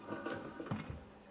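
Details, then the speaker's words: BMW E36 with welded differential, rear wheel turned slowly by hand after prop shaft snapped: uneven clunks and rough grinding that catch and lock; suspected diff welds or plate failed, locking diff and breaking prop, not confirmed. "locking up on something. So I reckon that the welds have given in the diff."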